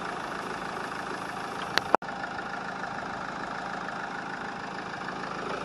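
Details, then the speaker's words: Mahindra XUV500 diesel at about 191,251 km, during a major service: quiet, even idle with a steady low hum and no knocks or misses beyond one brief click; the owner says the sound is completely normal. "अपनी गाड़ी में कोई notice नहीं कुछ नहीं कुछ नहीं एकदम नॉर्मल आवाज है कोई दिक्कत नहीं है"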